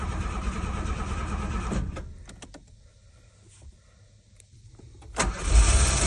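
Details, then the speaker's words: 1986 Ford Ranger XLT Super Cab 4x4, abandoned 16 years, after fuel pump leak patch; engine runs rough, abruptly dies with a few clicks, then catches again; ignition switch cutting out, fixed by reseating its loose rear plug. "apparently the ignition screwed up to let it back it shuts off the ignition so but it runs Ford Ranger"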